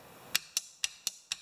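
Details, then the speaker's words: Generator being revived, key switch wiring: with the black wire grounding to emulate the key and 12 V fed from the battery's red lead, the starter relay gives six sharp, crisp clicks about a quarter second apart. It switches normally. "so then we take the battery the red which has 12 volts on it believe me and this operates the relay which then in turns allows the high current to go from this side to this side from this side to this side"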